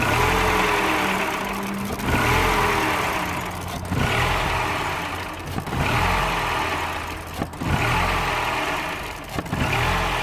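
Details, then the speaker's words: 2007 Mini One 1.4 petrol (N12), error 2982; cam sensors swapped to test, exhaust camshaft reading now stuck while intake changes. Revs swell and sag about every two seconds, hunting, then engine stalls: confirmed faulty camshaft position sensor. "Okay, so 100% that sensor is bugged. So this test 100% showed us that there is indeed a bad sensor."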